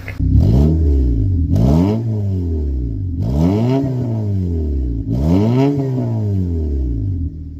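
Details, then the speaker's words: Cheap Honda Civic revved after the fuel injectors were replaced: clean, even revs climbing and dropping smoothly with no more low-rpm flutter or misfire. It sounds healthy after the repair. "And it actually sounds a lot better. There's no more flutter."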